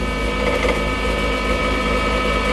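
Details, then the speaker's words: A duck call blank spins on a lathe while a turning tool rests on top. The tool bounces over the out-of-round spots and makes a fast, rough, buzzing chatter. The blank is not yet rounded and needs more cutting. "see how it bounces so you can hear that chatter those are spots that aren't rounded off"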